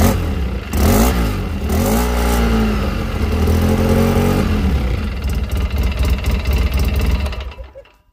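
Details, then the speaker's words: Polaris Sportsman 800 twin EFI, owned 12 years, stiffer front variator spring fitted; started in neutral. Starter whirs, the twin fires and revs briefly, then drops into a steady, even idle; healthy normal start. "So if I start it up, and if it's in neutral, you can start it here, but if it's in gear like L, you have to press the brake to get it started."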